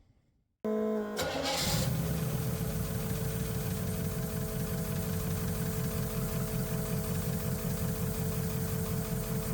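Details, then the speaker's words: 1971 Chevrolet El Camino SS big-block V8, valve covers off with homemade beer-can oil deflector, oil squirting from a lifter; fast lumpy idle with light ticking, maybe less than with covers on, root not found; valvetrain ticking at idle. "so I still heard some noise maybe not as much as I was hearing with the valve cover on"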